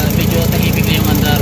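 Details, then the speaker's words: Suzuki Multicab after XADO industrial engine treatment (carbon chroming): previously gravelly, now a smooth, fairly quiet idle with an even low rumble; only remaining noise is the damaged exhaust; normal idle. "Ang maingay na lang is yung kanyang tambutso kasi sira yung kanyang exhaust. So ayan, after treatment tahimik na yung idling. Okay na siya."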